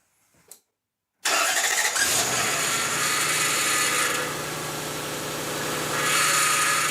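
Engine fires and a thin high whine rides over the idle, then fades as it warms; new steering pump whining on foamy fluid.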